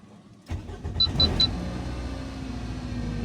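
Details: Toyota RAV4 after no-crank no-start repair on the starter, no engine codes: door chime beeps three times, then the starter catches at once and the engine settles into a steady, even idle; normal start.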